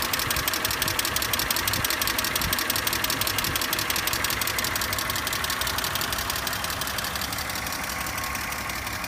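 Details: BMW E46 at idle: a fast, fairly even light ticking, about three per second, over the engine; cause not stated.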